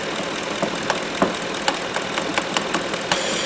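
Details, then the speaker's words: 2010 Ford F150 5.4L, capless "check fuel fill inlet" message and P0457 EVAP gross leak; purge solenoid stuck with no vacuum at idle, struck with an extension and began clicking again, light sharp ticks about three per second over quiet idle. "There she goes. Did you hear it? Just give her a little whack."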